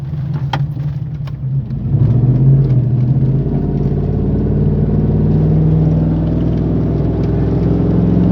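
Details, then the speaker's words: 2008 Chevy Silverado 1500 5.3 L, lifted, two-wheel drive, at 45–50 mph: steady low drone or hum over road rumble, seeming to come from inside the cab, rear; source still undetermined. "as soon as the noise comes out it's so weird I feel like a UFO is coming to pick us up"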